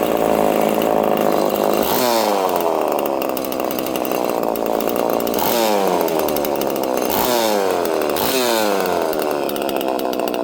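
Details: Homelite chainsaw with no decompression valve, untuned and in mint condition, snapping up from fast idle to full revs several times. Crisp, clean and even each time; healthy normal running.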